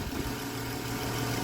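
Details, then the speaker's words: 2011 Dodge Challenger 3.6L V6 at idle, heard in the engine bay, with a new serpentine belt and an alternator replaced a few years ago: smooth, even hum with no ticks, knocks or squeals. Normal, healthy idle with no extra noises. "V6 ja erittäin hyvin käy. Kuunnelkaapas tätä. Ei ole mitään ylimääräisiä ääniä."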